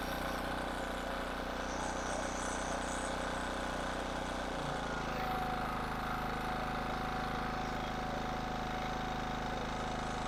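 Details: King Canada 1500 W generator, Chinese engine: steady, even drone with constant low hum and a level faint tone; running back to normal.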